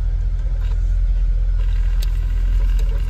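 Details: Mercedes-Benz C 63 AMG, M156 naturally aspirated V8 (P31, 487 cv), original exhaust, idling after start during charging test (14.66 V): steady even low rumble, no knocks or misses. Normal idle.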